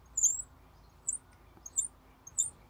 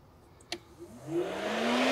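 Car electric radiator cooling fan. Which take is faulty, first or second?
first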